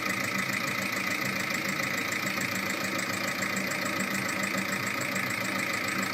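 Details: VAG 1.9 TDI 105 hp diesel at idle: even clatter with a crisp, steady ticking on top, roughly three a second, from a defective hydraulic lifter.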